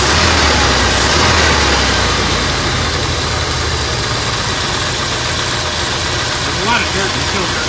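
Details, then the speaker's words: 1979 Ford F-100 with a 302 V8, which earlier cranked without starting: after a new fuel filter it fires right up into an even, steady idle with a regular beat and no misses; a healthy idle. "new fuel filter fired right up all right i'll tell you what i'm glad that thing fired up"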